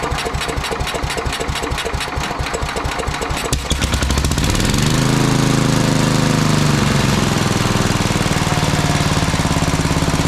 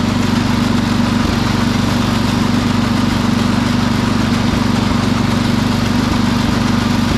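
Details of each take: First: Sears Suburban 12 lawn tractor with a Tecumseh 12hp engine, barn-stored five or six years, started after rewiring and fuel tank work: sharp choppy cranking for about four seconds, then it fires and settles into an even, steady single-cylinder run. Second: Sears Suburban 12 lawn tractor with a Tecumseh 12hp engine on a test drive: steady single-cylinder drone at speed, broken every second or two by a brief stumble, spitting and sputtering at higher rpm. Owner suspects the fuel pump needs rebuilding; a fuel line also leaks slightly.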